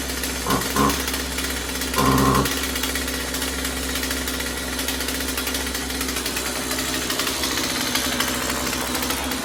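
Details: Husqvarna 36 Special vintage chainsaw after replacing corroded fuel lines and filter and resetting carb high and low screws (previously maxed out) to one and a quarter turns: harsh, steady two-stroke buzz at even speed, no stalling or surging; running properly.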